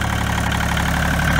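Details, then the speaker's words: 1986 Kubota L2550 diesel tractor, just started in snow after its failed fuel lift pump was replaced with a 12 V electric pump: a steady, even diesel clatter at a settled idle with no misses or odd knocks, running normally. "but i just started the thing up and it's running as you can hear so i'll pull in here"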